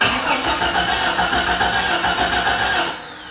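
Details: Jeep XJ that sat since 2019: key turned, relays click but engine won't start; no power to coil, no spark, fuel pump likely dead; computer suspected, found not bolted in.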